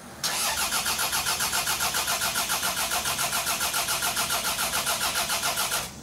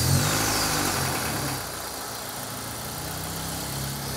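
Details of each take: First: Toyota RAV4 build engine cranked at wide-open throttle (flood clear), oil level checked full: starter spins steadily at about 3.5 even beats a second, compression sounds even; a tappy top-end noise is suspected separately. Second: Toyota RAV4 on an unknown stock engine, turbocharged and run on a dyno at 11–12 psi boost, on restart; steady idle with light, quick metallic tapping about four per second, suspected in the head; top-end tapping from low oil pressure.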